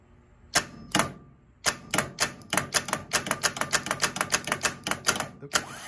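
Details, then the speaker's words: Starter removed from a skoolie bus, bench-tested: sharp clacks as the gear extends, three to four a second, with no motor spin-up; the solenoid has failed internally and is not making the electrical connection, with some sparking seen. "okay so this has failed internally it's not making the electrical connection we would hear the buzzer buzz and it's not buzzing"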